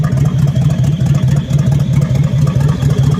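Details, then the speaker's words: 1970 Chevelle SS, original 396 V8 (350 hp), Turbo 400, 39,000 miles, unrestored engine bay: deep V8 idle with steady puffing chuff a few times a second over the rumble from an exhaust leak. "The engine bay is unrestored. You can hear an exhaust leak, of course."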